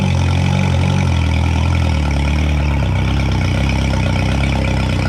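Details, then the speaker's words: 2011 Yamaha T50 outboard after replacing fuel line, bulb, thermostats, spark plugs and low-pressure fuel pump (previously rough, dying): steady deep even drone, no misses or stumbles; not as smooth as hoped but much better. "thought it would run a little smoother changing all that, but sounds a lot better."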